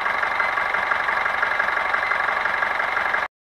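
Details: Foton Traveller van 2.8 Cummins diesel, first start after replacing valve cover gasket, injector seals and oil pan gasket plus tune-up for noisy rocker arms, fresh oil: steady even idle with smooth clatter, no ticking or knock.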